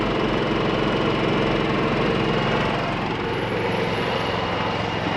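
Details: Onboard generator of a 2022 XLR Nitro 321 RV, started from the inside control panel after priming once and heard from outside: steady, even small-engine drone with no misses, surging or knocks; the generator runs normally.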